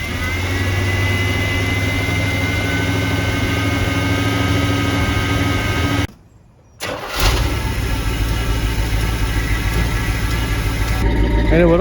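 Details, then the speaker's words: Carbureted truck that flooded and would not start, restarted after the carburetor was cleaned and the bowls filled: it catches and runs rough with coughing, uneven firing and water vapor from the exhaust. Misfire from water in the cylinder bores, improving as it burns out. "so it'll start to run better as it burns out water out of the cylinder boards there's no telling how much is in there but it's still blowing that vapor out and notice how it's like coughing and spinning because it's literally misfiring in those bores that are full of freaking water"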